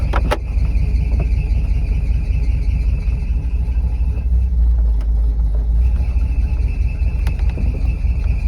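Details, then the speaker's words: Chevy 400 small-block: loud low engine drone with a thin, high intermittent squeal; serpentine belt slipping from leaking power steering fluid contaminating the belt despite repeated cleaning, plus a bent power steering pump pulley needing replacement. "fter you can hear it it just makes that belt squeak really bad"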